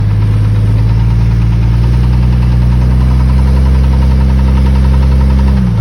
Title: 97 XJ 4.0 clicking/ticking noise while accelerating